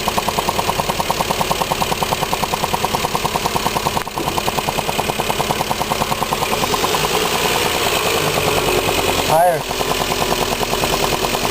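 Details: Lexus IS300, 53k miles, SRT ECU and intake, fresh oil change, codes P0440/P0446: a fast, regular rattle at idle from no clear source. It starts after a minute of idling, stops after hard revving and returns within seconds.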